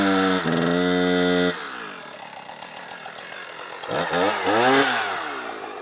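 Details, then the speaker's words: Husqvarna 455 Rancher two-stroke chainsaw running Husqvarna 50:1 premix, after a new spark plug and ruling out the air filter: holds a steady high rev, then pitch sags and wanders unevenly when cutting. It loses power under load; cause unconfirmed. "to me that's not acceptable performance from s gutless"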